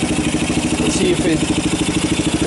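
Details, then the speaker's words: 1990 Kawasaki Bayou 220 single-cylinder ATV from a junkyard, carb replaced, recoil starter rebuilt, good compression, just cold-started on choke with jump pack: even thump about eight beats a second, no misses or rattles, charging the battery; normal idle. "now it's kind of a matter of actually sounds good oh it's even charging the battery"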